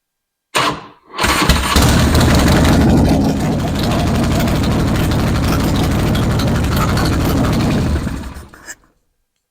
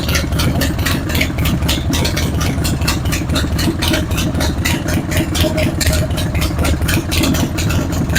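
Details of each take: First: Harley-Davidson Road King V-twin after repair of the front exhaust leak and bad vibration from worn front motor mounts: cranks, catches cleanly and settles into an even loping idle with no rattle or exhaust tick, much quieter. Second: Harley-Davidson Road King idling before repair: a loping V-twin idle with a sharp, dry tick on the firing pulses, about two a second. It comes from an exhaust leak at the front cylinder's exhaust flange gasket, which had carbon on the pipe. The front motor mounts are worn out, letting the engine bounce.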